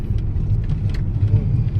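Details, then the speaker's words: Toyota Alphard AGH30 after repair: steady low engine rumble, no knocking as steering wheel is rocked; previous clunk over bumps from plastic gear at steering column motor, gear replaced. "เนี่ยหายแล้วนะพี่พี่ก็ได้ยินอยู่"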